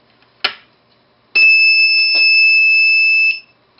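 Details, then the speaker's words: Clean, steady high-pitched beep of about two seconds, starting and stopping sharply, from a DC buzzer driven by a transistor on a learning board; beep length set by the base pulse via a potentiometer; working normally. "I can make that long that buzz longer if I'd like by putting a longer pulse on the on the transistor base."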